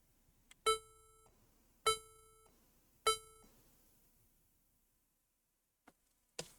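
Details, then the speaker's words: HP laptop with no display: at power-on it gives three long beeps and two short beeps with faint clicks, unchanged after trying new 8 GB PC4 RAM and another slot; memory suspected at first, motherboard concluded bad. "so it is the same we are getting at three long beeps and two short beeps and there's no display on the screen"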